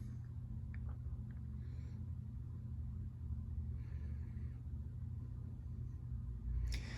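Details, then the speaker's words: Cheap ceiling fan running on medium speed: low steady motor hum, no ticks or rubbing, a mild running hum. "and there is medium you know it's got a little bit of running home to it"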